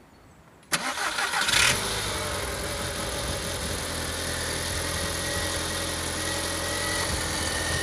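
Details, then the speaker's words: VAG 1.8T turbo engine after replacing spark plugs and ignition coils for misfires, rough idle and power loss: starts quickly and settles into a smooth, even idle, revving well; rough idle gone, normal idle. "okay as you can hear the rough idle is gone the engine is revving very good"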